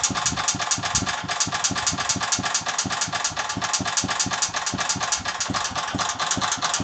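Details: Agros walk-behind tractor (motoblok) single-cylinder engine idling with sharp metallic knocks about twice a second, steady and rhythmic; the owner does not know the cause of the internal engine knock.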